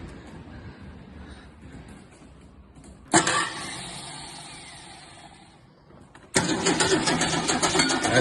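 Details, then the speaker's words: Long-neglected, rusty Holden LC Torana: the starter turns, it catches weakly and dies, then fires and runs rough. "That's it. She starts. Probably try that fuel ready. Yeah. Alright, let's get a tiny bit more fuel in, but it turns over."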